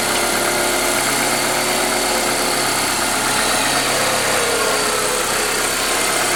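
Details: Ford Escort 2.0L at idle: loud hissy, whining top layer with fast, uneven chatter over a thin low end; abnormal engine noise, cause unclear.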